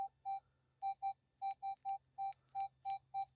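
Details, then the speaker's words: Minelab Equinox metal detector, Field 1, F2 at 7, iron bias 0; repeated loud mid-pitched beeps over quiet hum from a bottle cap false signal; raising F2 to 8 starts to reject it. "Everything else is you can hear, but that bottle cap is coming through loud and proud in there."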